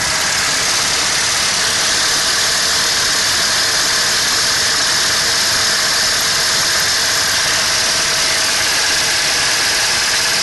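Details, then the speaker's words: 1988 Dodge Dakota 3.9L V6 throttle body, with open vacuum lines and airbox off: loud, hissy high idle with a busy, slightly uneven hum and strong intake rush; idle stuck high. "it looks like it's pretty far advanced so it might be kind of loud when it turns on and she won't run quite right because there's some open vacuum lines to the engine"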